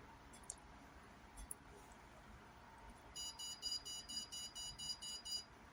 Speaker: so here is an example of a very dangerous case that the command window says that it's very dangerous you should Evacuate the room and maybe renew the air this is what the graph looks like and as you could hear there were 10 beeps and 10 flashes of the light and they're extremely rapid